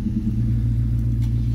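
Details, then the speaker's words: V8 after cleaning the IAC valve, suspected of sticking open and causing high idle: about a minute after cold start, rpm dropping from about 1100 to nearly 800, deep smooth rumble without hunting or surging; normal cold idle. "we've been started for a minute now uh and it's still actually somewhat cold uh but yeah you can see the rpms are dropping now we're about almost 800 now and it's not erratic at all"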